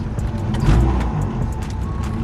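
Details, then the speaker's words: Honda Civic EG daily driver started after sitting about 3-4 weeks gives a deep, lumpy, uneven idle with a wavering beat right after start-up; it still starts, cause not pinned down. "I actually gotta make sure if this car actually starts. Let's go ahead and crank it over. Sounds a little rough,"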